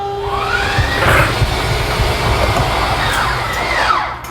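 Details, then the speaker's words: 2022 Forest River Salem 280RT travel trailer, front right slide-out: steady electric motor drone fading off as room reaches full extension; slide-out motor working normally at end of travel. "So I'm just gonna move it in a little bit and move it out so you know what it sounds like when it's fully extended."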